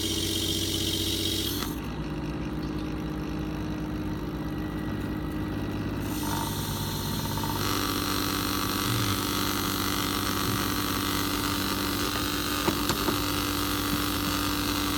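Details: Pump with bypass reset to 80 psi, operating around 15 psi: even, steady hum with no surging or bypass chatter; normal running, engagement returning only near 60-65 psi.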